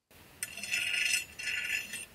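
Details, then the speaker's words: Two raspy fingernail scrapes with faint ticking across a grooved Mazda rotary apex seal, run about 5,000–6,000 miles with premix at one ounce per gallon; rated 6 of 10 for smoothness, with some outlier grooves. "this one has some outliers of some grooves these were ran in an raw engine for approximately five to six thousand miles pre-mixed at one ounce per gallon as well and these like I said 6 out of ten you can hear that ticking"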